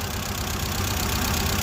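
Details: 2016 FAW XPV petrol engine, warm, with its cam sensor previously replaced. It idles with an uneven, lumpy pulse. Disconnecting coils one by one, the third cylinder gives no response: a dead cylinder causing a misfire and rough idle.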